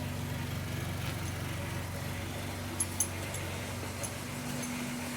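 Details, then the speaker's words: 2001 Honda Accord Coupe, 381,000 miles, cold start: petrol engine idles very rough with an uneven, wavering drone; no check engine codes besides an oxygen sensor code; it also backfires and dies, cause unknown. "I started messy-ass cold run as three hundred and eighty one thousand miles now as you can tell it's running very very [ __ ] rough"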